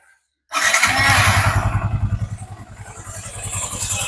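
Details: Yamaha Y16ZR motorcycle just after fitting a new Espada 7-litre petrol tank, with the fuel pump primed first. Silence, then it catches at once and settles into a steady, even idle of three or four beats a second: a healthy start.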